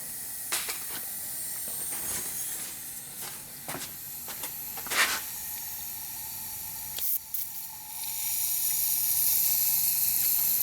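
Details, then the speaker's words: Used VW TDI PD engine with broken timing belt, leak-down test: continuous airy hiss, cylinder holds so little pressure it won't move the piston; suspected leak past bent exhaust valves, not confirmed. "So there's so much leak down, it ain't even applying enough pressure to the piston to move the piston. I would assume that it's coming out of the exhaust valves, because that was generally bends when there is a timing belt break."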